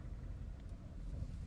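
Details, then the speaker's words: Four-cylinder petrol car, cylinder-disable test by unplugging coils one by one: low, uneven, shaking idle while running on two cylinders, with number two switched off and number one already dead; misfire traced to cylinder one. "تفتفت السياره شفتوا كيف ليش لان رقم اين كان شغال وانا وقفته واضحه قدامكم رقم اثين كان شغال وانا وقفته اما رقم واحد فاصلا متعطل من البدايه"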